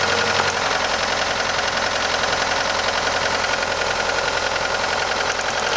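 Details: 1989 Ford Probe GT with the F2T engine at idle: a rapid, fairly even knock of about three or four a second rides over the engine; the cause is not yet diagnosed.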